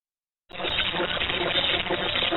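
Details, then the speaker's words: 500 ft receive loop about 6 ft above ground with Nooelec LNA, no chokes fitted yet: harsh, constant rushing hiss with no signal underneath; heavy interference, source not found, owner hopes chokes will reduce it. "And I've got a horrendous noise right in here. I'm hoping to eliminate some of this once I choke it."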